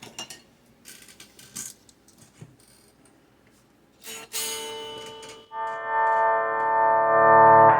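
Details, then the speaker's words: 1962 Gibson GA-5T Skylark tube amp after the pot and two coupling capacitors were replaced: after some handling noise a sustained guitar chord rings out clean and steady with no crackle or dropouts; the static problem appears fixed. "so these two are the new coupling capacitors and i think we fixed the problem"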